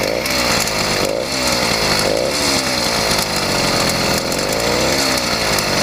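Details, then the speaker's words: YD100 two-stroke motorized bicycle after ramped piston work, revving: raspy exhaust with metallic top-end rattle appearing only once hot; piston hitting cylinder head, possibly squish too tight, extra gasket planned. "something is not happy inside the motor that's not the exhaust i think it might be the uh yeah it might just be a squish"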